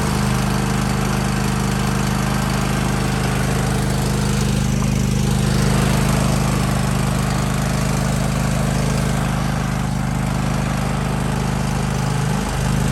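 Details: Kohler single-cylinder lawn tractor engine (John Deere/Husqvarna/Craftsman) that had been surging, run after replacing the fuel filter: a steady, even drone at constant speed with no hunting or surging; the governor holds speed and the engine runs healthy.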